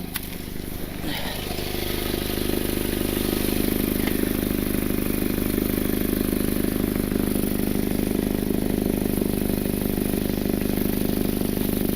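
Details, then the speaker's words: Idling four-cylinder car, heard from underneath. A raspy, puffing exhaust leak escapes at the failed flex pipe, where discoloration is visible. "I can feel they're escaping right over here where this flex pipe is and you can kind of see the discoloration right over here as well"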